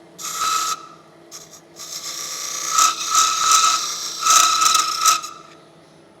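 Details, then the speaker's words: Woodturning lathe making a cup, piece unsupported without running centre: intermittent raspy scraping with a steady high ring near 1 kHz during each cut; tool chattering. "Maybe slow it down a little bit. You can hear it chattering."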